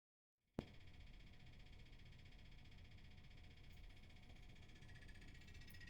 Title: HVAC Rattling Noise